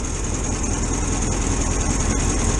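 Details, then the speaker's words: VW T2 camper van, air-cooled flat-four with auto choke, cold start: steady, slightly raised idle on choke, even low throb, no knocks or misses, left to warm up a few minutes. "a bit of fuel that is obviously on choke in a minute i'll let it warm up a few minutes"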